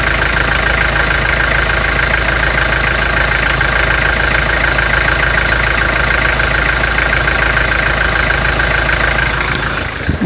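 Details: 2003 Toyota Hilux 3.0 naturally aspirated diesel after 5,000 km hard use, before adding Bardahl Prolonga: loud idle with steady knock about twice a second over the clatter.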